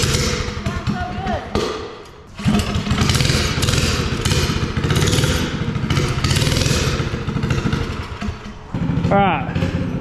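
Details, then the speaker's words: Mini bike with Predator 212 engine, bigger jet and new air filter, first start, still warming up and just off choke. Strong, slightly uneven thumping that settles. Normal running. "It just need to warm up. It's running off choke now. We're good."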